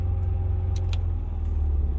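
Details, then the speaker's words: Motorhome generator restarted with the start button right after a stop test, already warmed up: deep, even engine hum with a steady beat, no misses or knocks, plus a couple of light clicks; running normally. "then we should be able to hit the start button she fires right back up so we're good to go"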